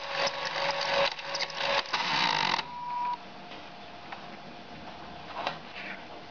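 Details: SteppIR EHU 6-40 antenna motor while running the tape from 6 m to 40 m, almost 12 m of tape: buzzy, fluttering stepping whir then a thin tone; owner dislikes the noise, abnormal motor sound.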